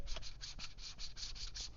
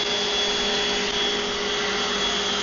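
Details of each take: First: Vevor random orbital sander, being compared: rhythmic dry scraping about five times a second as the pad rubs on the housing, with grease visible on the wheel, so it won't spin freely. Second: Old DeWalt random orbital sander, baseline pass on wood; it sits balanced and pushes with two fingers. Steady high-pitched whir with constant tone, no wobble or rattle, running cleanly at full speed; normal running.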